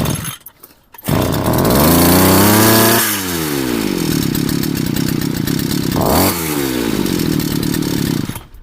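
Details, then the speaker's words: Two-stroke string trimmer deliberately flooded by pulling too long on choke after refuelling from an empty tank: several weak firing attempts, then it catches late and screams at full throttle, holding high revs as the flooded cylinder clears. "Зараз я її спеціально перекачаю. Все, вона вхопила. Вже треба було скидати. Все, не заводиться."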